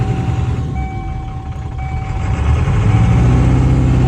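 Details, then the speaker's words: 1997 Ford F350 7.3L Powerstroke turbo diesel at about 1500 rpm shakes hard with a lumpy, skipping knock; misfire appeared after sitting over winter, stumbles at stops, injectors passed buzz test, owner suspects the IDM (injector driver module). "You come to a stop, it falls flat on its face, and then sitting over the winter, we kind of noticed it has a little bit of a misfire."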